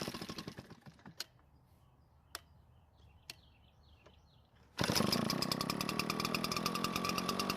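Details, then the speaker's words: Garage-sale Redmax backpack leaf blower two-stroke, history unknown, run with air filter removed to rule it out: a few quiet taps, then fires and holds a steady, even high-pitched buzz with no stumbling; runs fine without the filter. "so it ran okay without the filter so the next thing to do is just put the filter back on and see if it changes anything"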